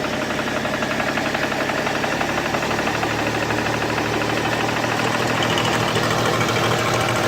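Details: BMW E61 525d diesel at idle: a steady idle carrying a rough, uneven clatter about four knocks a second; owner asks what the noise is, source unknown.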